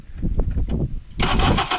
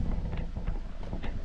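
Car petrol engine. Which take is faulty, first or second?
first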